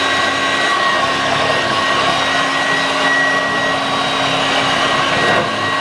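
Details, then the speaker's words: 1986 Vorwerk VK 117-1H upright vacuum, cleaned: steady high motor whine with even airflow rush, no rattles or pitch wobble; running properly. "so yes now it's working like it's it much much better"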